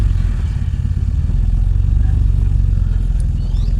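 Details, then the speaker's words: Toyota Great Corolla 4A-FE after ECU repair and data cloning (previously check-engine light flickering, engine dying): steady, even low idle pulse holding without stumbling or dying while waiting to warm to normal temperature; normal idle. "Kita nunggu nanti sampai fan brokrasi warming up normal temperatur ini hidup. Kemarin gas 3.000 ini sudah gak mau engine gedip-gedip nyala terus."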